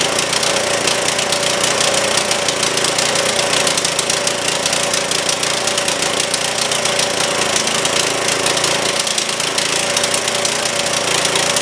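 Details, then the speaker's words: Trailmaster go-kart, Chinese Honda-clone engine, after further carb work: now stays running with choke open but rattles along at a fast, uneven clatter instead of low idle, throttle cable and pedal giving no response; rough running. "All right, we did make a little bit of progress. It is staying running with the choke open now. Not running very well and it should be in in low idle, but the throttle is doing nothing."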